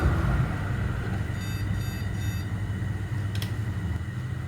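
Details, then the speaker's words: ECS H61H2-MV motherboard with no display: three quick short high buzzer beeps with memory removed; board calling for RAM, normal no-RAM beep code. "Apakah bajernya bunyi dan bunyi ya teman-teman bazernya Bunyi meminta RAM ya"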